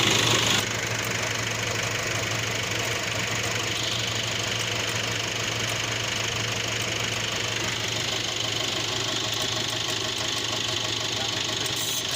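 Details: Nissan NP300 pickup with an intermittent noise under the hood at startup, checked with a scope and stethoscope: over a steady idle, a constant high-pitched rough whirr from the belt area; worn alternator clutch pulley bearing, replacement recommended.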